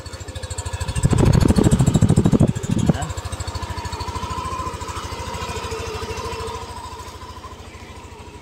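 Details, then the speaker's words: Yamaha Aerox scooter (~4k odo) right after its 3rd oil change and oil-indicator reset: soft, even idle firing, then clean smooth rev burst through about 2,000 up to 10,000 rpm and back to steady idle; normal revving. "So, ito, nasa idle siya ng 1,900, 2,000, 4,000, 6,000, 8,000 up to 10,000 RPM,"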